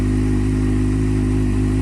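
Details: Kawasaki Z750 after replacing the exhaust manifold gaskets; the cam chain tensioner had checked fine. The valve-like tapping is gone, leaving a steady, deep, even idle. Afterwards the dash flashed error code 67, possibly the lambda sensor.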